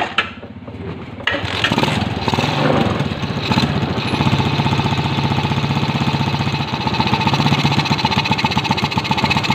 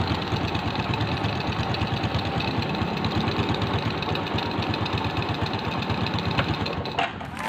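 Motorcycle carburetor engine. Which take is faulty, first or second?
first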